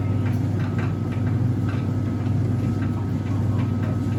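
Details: Faulty Whirlpool heat pump tumble dryer running: steady low hum with a faint irregular tick roughly once a second over it; source of the tick unclear.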